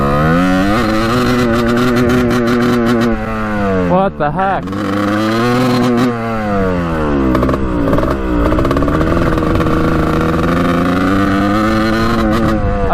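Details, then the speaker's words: 1989 Kawasaki KX125 two-stroke after power valve replacement: revs up and sags unevenly, stumbling and hesitating; exhaust checked unblocked, revved more as fuel ran out with petcock off; owner suspects carburetor, cause unconfirmed. "something's going on with the carburetor huh i don't know sounds like crap though"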